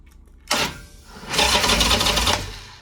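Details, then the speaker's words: Harley-Davidson Sportster 883 converted to 1200 with Wiseco pistons, rings and cylinders, just reassembled: a clack then about a second of fast, even churning as the V-twin turns over on the starter; normal cranking. "Yes, it rolls over."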